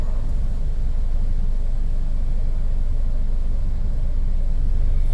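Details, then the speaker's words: 2008/2009 Toyota Camry with check engine light, warm engine, AC switched on: low, uneven, lumpy, stumbling idle with shaking rumble, worse as it gets hotter; misfire suspected; rough idle misfire. "now let's turn the AC on again see what happened the AC is on now it's shaking pretty bad there we go"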